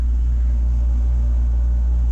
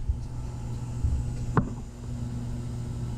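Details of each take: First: Takagi T-H3-DV-N tankless water heater, first startup, burner firing with circulation pump running, water near 135–140°F: deep steady low hum growing louder; source of the vibration not pinned down; low vibration hum. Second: Takagi T-H3-DV-N tankless water heater, first startup, with primary loop pump running and water around 116 degrees: low steady hum under the burner and pump with occasional light clicks; pump has become quieter, normal running.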